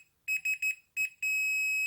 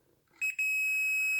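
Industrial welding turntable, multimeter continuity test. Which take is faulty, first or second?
second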